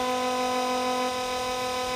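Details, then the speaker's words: Engine cooling fan soft-started and PWM-driven by an MS3/Megasquirt ECU at 25% duty cycle: a steady low-pitched, buzzy hum as the fan turns slowly, because the PWM frequency is too low for the motor. "and you can hear the sounds range is actually driving the pan now but you can hear that hum"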